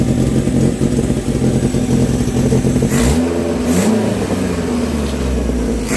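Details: Renault 16 TX engine starting after rebuild: even, steady running with clean revs that settle back smoothly, no knocks or misses; normal running.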